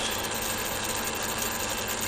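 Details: Rebuilt Fukner FU-400 antenna rotator with the motor and gearbox reinstalled and limit switches added. An even, high-pitched motor whirr with gear hiss and no clicks, grinding or hesitation: normal running.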